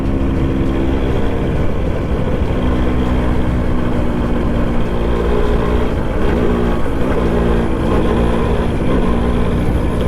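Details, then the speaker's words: Suzuki Max100 two-stroke petrol motorcycle at the end of a mileage test: beat stumbles and drops out heavily under load over road noise, misfiring as the tank runs dry. "Okay, missing വന്നിട്ടോ. Correct നമ്മുടെ petrol പമ്പിൻ്റെ മുന്നിൽ തന്നെ missing വന്ന് ഓഫായി."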